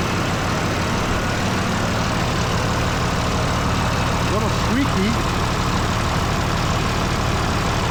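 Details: Truck's first start after extensive work, including refitting an AC line that meant unbolting a component: engine catches and settles into a steady, even low idle with no knocks or misses; normal idle, now able to move under its own power.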